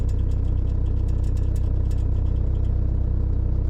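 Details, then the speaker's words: Motorhome van diesel after its injection timing was advanced at the pulley. It starts immediately and idles with a steady, even clatter with no stumbles or misfire, no white smoke and a bit of black smoke: normal idle. "No smoke. Bit of black smoke. No white smoke. No misfire. Started immediately."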